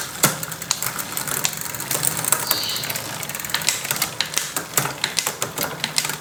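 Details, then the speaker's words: Bicycle freewheel after disassembly and repair of its rough, wobbly fault, tested from left and right sides: quick, crisp, evenly spaced ratchet clicks as the wheel spins, no grinding or odd noises; freewheel now normal. "Oke dari sisi sebelah kiri sudah tidak terdengar dan tidak muncul suara-suara aneh lagi kita cek dari sebelah sisi kanan ya Ini dia kalau dari sisi sebelah kanan kita tes oke sudah normal ya teman-teman"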